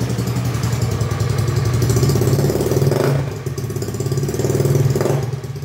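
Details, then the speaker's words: Honda Beat carbureted scooter that would not start despite a cleaned carburetor, strong blue spark and compression; after valve clearance readjustment it starts and runs, battery weak; even light steady putter with gentle rev swells, no ticking or misfire; healthy running. "Kalau sistem pengisiannya masih bagus, cuma akinya sudah ini ya, sudah soak. Kita slash saja ya. Oke, yang penting hidup, kita lanjutkan besok saja."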